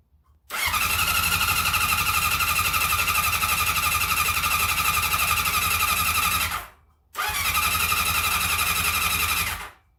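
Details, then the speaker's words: Honda CB750 cafe racer after full engine rebuild, first start with fuel still leaking: two runs of steady starter whirring, no firing or pops; owner suspects no spark; crank no start. "still leaking and um not firing possibly no spark not even a cuff or a splatter"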